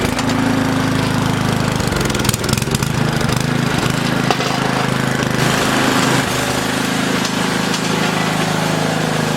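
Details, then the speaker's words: Old used tiller stored several seasons, small single-cylinder engine: chugs unevenly with a lumpy, wavering beat that never settles, running rough; smells of a mouse nest near the muffler. "it's running pretty rough smells like there's a mouse nest break the muffler area but she started she's going to be fine"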